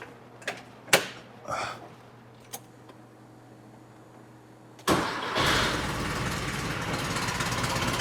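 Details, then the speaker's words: 1968 VW Type 3 with 1835cc air-cooled engine, freshly installed used engine warming up: a few clicks, then a steady, even idle with no knocks; smoke is oil burning off, not charging noted: normal idle. "Smoke's a combination between the oil and just everything burning off. while this thing warms up. Shouldn't be that bad for warming up. Um the car does sound pretty dialed."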